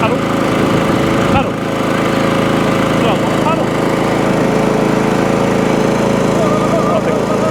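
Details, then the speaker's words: Old Mountfield Empress roller mower just revived, first run, still a bit smoky but clearing, needs a 15–20 minute hot run to prove the engine: steady even buzz at constant speed, no misses or knocks. "still a bit smoky we see how it gets um it is clearing but it wants a good 15 20 minute run get nice and hot and that'll prove if the uh engines depending on"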